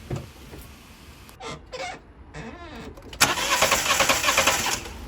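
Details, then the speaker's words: £200 Fiat 500, spark-plug test with the plug grounded on the engine block while cranking. Plug found bone dry, no fuel arriving. Short rhythmic cranking bursts that never catch; spark is present. Crank-no-start with no fuel getting through. "so I'm just going to put the spark plug um touching the uh engine block there um turn the car over just to see if we're actually getting any spark on that plug"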